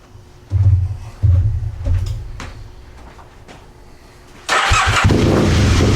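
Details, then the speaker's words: Aprilia Mille R with fuel pressure regulator removed, fuel pump on: a few catches and short revs, then fades and dies; owner suspects fuel pump not holding pressure but is unsure, stalling after revving. "then it dies so the I think the fuel pump is uh it's not keeping the pressure however I'm not 100% sure that that that that's the problem"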